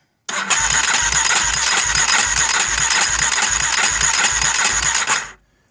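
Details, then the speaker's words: Junkyard Warrior 350 engine cranking during compression test after freeing a valve that was held open; even, strong beats about 2.5 per second, reading about 90 psi, throttle not held open; compression now judged acceptable. "well that definitely helped definitely helped so that valve was being held open um for right now I'm going to call that good"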